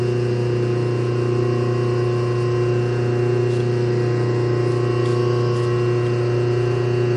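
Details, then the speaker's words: Rebuilt 1/2 hp dual-voltage single-phase motor with new capacitor and bearings and a refurbished centrifugal switch, running clockwise, unbolted and with no load, drawing about 3 A and not warming: a steady, even hum with no rubbing. Normal no-load running. "not getting warm at all we got no load on this and we are drawing about 3 amps"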